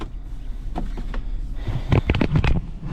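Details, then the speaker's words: 2012 Chrysler Town and Country, idle in gear: uneven lumpy idle with deep irregular thumping shaking the whole car; codes P0300 and P0302, cylinder 2 misfire, no check engine light, coil packs recently replaced; engine misfire. "Yep, Sitting here at idle, it definitely, with it in gear, it's rough. It's shaking the whole car."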